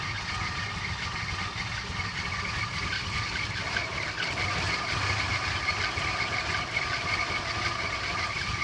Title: Cressida rough idle